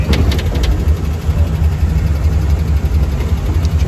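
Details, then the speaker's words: 1970 International Scout on first drive in years, after a 20-30 mph test run: deep rumble that holds fast and never settles down at idle; idle speed a little too high, cause unconfirmed. "you can hear it you can hear it never want to let it still hide like it's a little too high"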